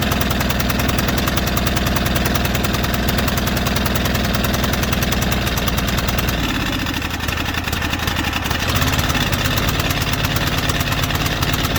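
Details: White Outdoor LT542G riding mower twin in a cold shop, running rough with fuel getting into the oil, and with a binding throttle cable and linkage (missing clip): loud, choppy low thumping that wanders and surges. Erratic, lean running from a missing carburetor main jet.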